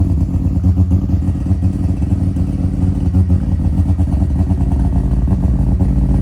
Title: First start 13B semi PP. 😁 (bit of an exhaust leak)